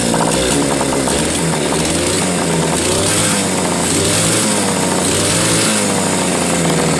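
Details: Bike single-cylinder engine under steady throttle, lumpy uneven beat with occasional skipped firings; owner sees sporadic, inconsistent spark and suspects a valve not seating fully; intermittent misfire, cause unconfirmed.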